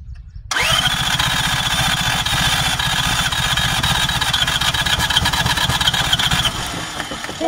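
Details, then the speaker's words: Isuzu P'up turbo diesel four-cylinder mini truck sitting 28 years: starter spins briskly at about four strokes a second, fast steady chug just before it fires; fast cranking. "oh my go thing is Qui well it's spinning pretty fast now one last time"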